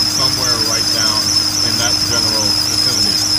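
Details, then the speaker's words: 2001 BMW 540i (E39) at idle: constant high chirping squeal wavering slightly from around the alternator, power steering pump or serpentine belt tensioner pulley. Water on the belt quiets it only 2–3 minutes; cause unconfirmed. "it's a very annoying squeak I will let you listen to it now it sounds like it's coming from"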